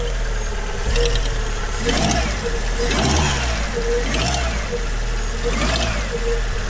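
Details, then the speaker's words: Fiat 500 revved repeatedly: hollow rattle rides over the engine as revs rise and fall about once a second; owner thinks it is the timing belt, coming from the timing-belt casing; abnormal noise when revving. "What's that sound like, guys? Timing belt needs doing. That comes from in this casing here."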